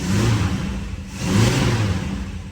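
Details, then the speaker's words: 1965 Plymouth Barracuda 273 V8, 138k miles, after flipping backwards choke linkage, carb slightly flooded with new needle and seat: even steady low rumble with smooth rev swell, all eight cylinders firing; float level likely high, heavy smoke. "nice that is eight smooth happy cylinders and some more smoke that is terrible"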